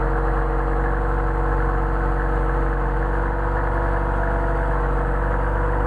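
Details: 190SL with Solex carbs, cold start on choke after sitting about a week, ambient about 65°F, no temperature on the gauge yet: steady, even idle with a deep low rumble and no misses, knocks or hunting. Starts and runs well.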